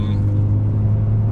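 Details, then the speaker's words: BMW E46 M3 while cruising: a steady, deep droning hum under the road rumble. The owner notes a drone problem; its cause is not yet stated or confirmed. "you can hear that right I've got a little bit of a drug problem I get to that in a second"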